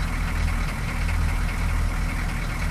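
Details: 6.2L diesel idling the morning after a fuel filter replacement fixed a rough idle: starts right up and idles steadily without the throttle pressed, a smooth, even low rumble with no stumbling or dying.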